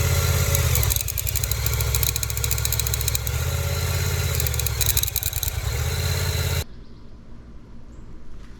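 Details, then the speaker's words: Yamaha FZ-07/MT-07 twin after a minor drop: idles fine, but a rough rasping scrape appears when put in gear and the clutch is let out; owner suspects the clutch, not yet confirmed. "And so I'm suspecting that something's wrong with the clutch, even though I've never had any issue like this with any other bike."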